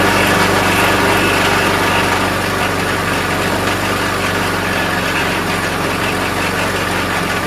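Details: Troy-Bilt self-propelled mower with 4 hp Briggs Quantum engine runs at a steady, even pace with consistent buzz, no misses or surging; running normally.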